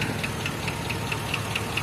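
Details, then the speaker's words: GMC Copart rebuild after 12k miles at idle: light sharp tick about five per second, steady, from one side of the engine; owner suspects a bad lifter or low oil; ticking at idle. "it I have a bad lifter it sounds like hold on one second it definitely sounds like it's coming from that side"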